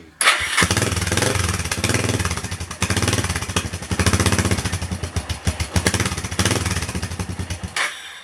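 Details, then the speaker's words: Suzuki GN250 first run after a clutch replacement: the single-cylinder catches quickly and settles into a steady, even thump with clean blips and no odd noises; normal running. "Feels absolutely fine."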